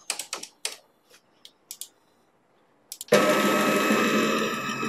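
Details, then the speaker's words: Homemade CNC router, feed raised above a safe 1400: a few light ticks, then a sudden loud harsh buzz with a raspy whine as the stepper motors lose torque at speed, stall and skip steps. "my current setup is around 1400 which is safe for me to cut if I increase the speed to around 2000 meters"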